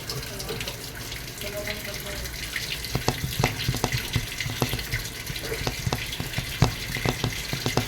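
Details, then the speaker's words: Whirlpool top-load automatic washer after controller board replacement (no-power fault, board two years old), water level 1: steady rush of water filling tub with light splashing, no hammering or buzzing; normal fill after repair. "Pasok ko lang yung ng tubig. sa butas baba yan so hintayin ko lang umabot yung na number one"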